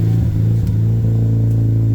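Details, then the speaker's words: Mazda RX-8 rotary with tuned ECU, cooling fans cut in at 91°: steady low idle drone that wavers and dips as ECU relearns from excess oxygen, running rich; settles sounding good. "it has to relearn cuz it's getting excess oxygen hear that see it's learning that sounds pretty we good"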